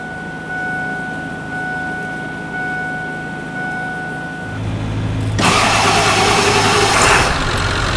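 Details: 1999-2007 Ford F-350 7.3L Powerstroke after fuel pump module replacement, with key cycled to prime and bleed the fuel system: steady electric pump hum, then the diesel cranks, catches within a second and runs evenly.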